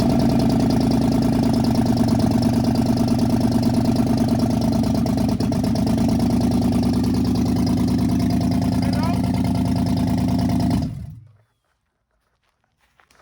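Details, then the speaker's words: 2015 Dodge Charger Pursuit 5.7 V8, wrecked rebuild first started in about 3 years after fitting coil packs and spark plugs: lumpy, uneven stumbling idle for about eleven seconds before shutdown; misfiring with a couple of stored codes. "Cause I know that bitch got a couple codes and it's misfiring. So it's not firing right."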